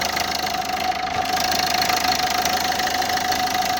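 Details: Renault Scenic 2 at idle: fast, fairly even light tapping over the engine with a steady whine; owner unsure whether it resembles a leaking injector, cause of the knock unclear.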